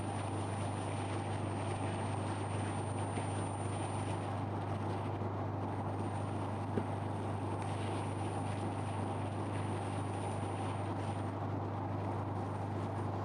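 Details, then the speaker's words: Photolithography spin coater, vacuum switched on to hold the wafer on the chuck before photoresist coating: steady even low hum, no knocks or surging; vacuum pump running normally, wafer held firmly. "So, you have the wafer here then we have the option to switch on the vacuum you can hear a humming sound right."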